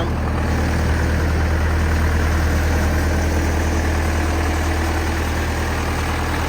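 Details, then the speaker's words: Zetor 5718 diesel tractor restarted after about five years parked in a hedge: deep, steady idle with an even beat at a low, constant pitch, no knocks or stumbles; oil pressure present; normal idle. "leave your Zetro growing in the hedge for 5 years and it dusts straight off."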